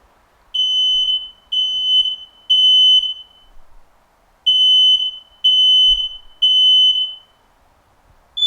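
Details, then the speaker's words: Smoke alarm sounding the fire pattern: shrill high beeps in groups of three, about one per second, with a pause between groups; carbon monoxide would be four faster beeps. "it is important to remember that these combination alarms the number of beeps still remain the same there will be three beeps for an activated smoke and four faster beeps"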